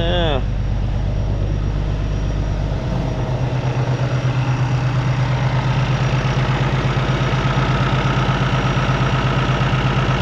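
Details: Peterbilt ISX Cummins CM2250 at a settled idle after a front structure leak repair, now leak-free, warming up before an oil and filter change: an even, steady diesel clatter and low drone with no misses or odd knocks; healthy.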